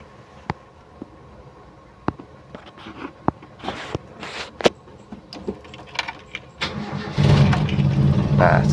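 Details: Toyota Kijang 7K, emission control module test: a few clicks, then engine fires and holds steady even idle on the known-good module, unlike the faulty module that could not hold idle.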